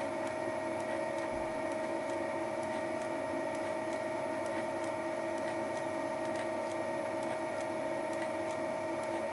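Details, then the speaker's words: Final facing pass with Wohlhaupter UPA5 head on a Thiel Duplex 158 mill, lawn mower housing around a molten bearing seat: steady hum with even light click about every half second from the radial feeding mechanism; normal facing head feed. "this is the final pass (the clicking noise is caused by the radial feeding mechanism) it cleaned up the face quite nicely"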